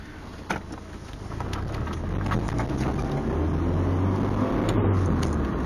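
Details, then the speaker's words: Nissan 240SX on the road after replacing the leaking main catalytic converter exhaust gasket (slight leak remains, warped flange): smooth, even exhaust drone rising with speed, no popping or backfire off throttle; normal exhaust on overrun. "that just sounds beautiful that's way better than before no back F no nothing just smoth sand"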